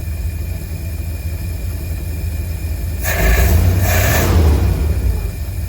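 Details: 1952 Cadillac Series 62 V8 after carburetor rebuild, first start with no adjustments, condenser and coil replaced: low, steady idle with an even beat and a short rev blip; runs smooth, though owner noted some backfires and rough idle, suspects timing.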